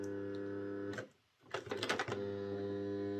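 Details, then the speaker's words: Old Airfix Class 31 model diesel loco at full power before repair: a harsh buzzing drone that drops out and returns rough. The armature moves back and forth against the worm gear (end float); fixed by snugging up the gear. "Well, it's making a noise. So it's alive, but not very well, making a horrible noise."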